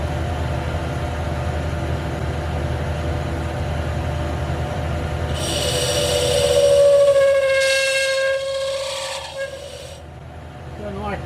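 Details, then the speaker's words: Lathe boring a shaper nut for rethreading. A sharp, steady ringing squeal near 550 Hz rises over the motor hum during the cut: chatter, with the boring bar sticking out about 2.5 inches farther than necessary. The fix is to move the bar in. "hear that chatter that ain't good [Music] that ain't worth the dang so what could you do to make that stop one of the things is that boring bar is sticking out about two and a half inches farther than necessary"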